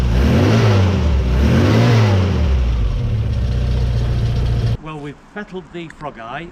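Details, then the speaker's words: Frogeye Sprite engine revved after tuning, ignition timing adjusted and new coil fitted; earlier misfire seems cured, revs rise and fall cleanly and evenly, no stumbles or popping. "done a bit of tuning on the engine we put a new coil on it was that it had a misfire it seems to have cured that"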